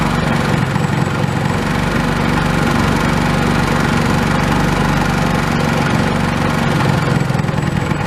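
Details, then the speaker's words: Old Honda small single-cylinder pull-start engine, sat for years and not getting fuel, now repaired and reassembled with throttle reconnected: steady even low chugging, no misses, knocks or surging; normal smooth idle. "well now that this engines running I can finally put it to use"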